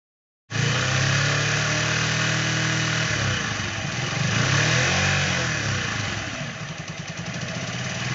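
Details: Keeway Cafe Racer 152 single-cylinder motorcycle idling and being revved: an uneven ticking knock on the firing beat that gets busier as revs rise. Source unclear.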